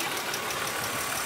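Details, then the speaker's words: Cheap E36 BMW M3 revived, idling with temperature slowly rising: busy light top-end ticking at steady speed, like its original noise; owner suspects a lifter, unconfirmed; burning oil smell, no drips seen. "it's hard to say i want to say it's a lifter it sounds similar to the sound that this car originally made"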